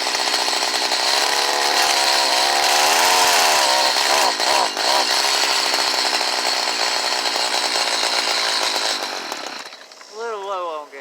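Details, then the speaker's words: Stihl HS45 hedge trimmer, formerly hard to start when cold, now fixed: started on choke after priming, then a high, buzzy two-stroke note that revs up and down cleanly and holds a steady run; running normally. "now i'm going to show you it cranking up and running like it's supposed to"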